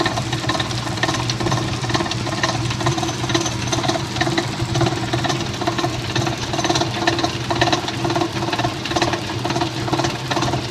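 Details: Amana washer (MFG # P7762117WW): a steady run of clunks, a little over two a second, keeps time with the agitator stroke; the agitator drive is knocking, cause unknown.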